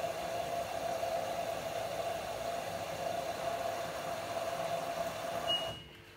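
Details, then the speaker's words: LG 6Motion washing machine in service mode, pressure sensor reading dropping as expected, filling through the softener compartment: a steady hum of inlet water for about five seconds, then a clean cutoff. Normal water fill. "so if we advance it again it's now filling through the main washer compartment as you can see it's still going down um this is pretty much pressure sensor is working that's going down so now if we glance again it will fill up from the softener"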